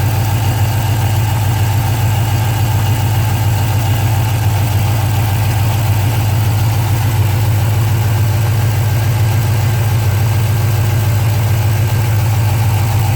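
A V8 idles steadily with a light, quick ticking riding over its deep rumble. Cause suspected, not confirmed.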